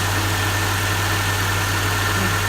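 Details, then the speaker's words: Honda (DC2R) with a new battery, started after the immobiliser was disabled: steady, even low idle with no misses, knocks or hunting, smoother than expected. "I'm really surprised I expected it to be look look rougher than that"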